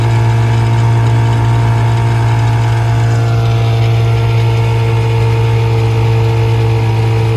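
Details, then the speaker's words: 1956 Johnson 7.5hp AD-10M outboard in gear under load on a 14-foot deep-V Sylvan boat, about 8–10 mph, nearly planing: strong, low, steady drone at even pitch without stumbling; healthy, quiet, reliable motor running normally. "It's a very good running motor, very quiet, and very reliable."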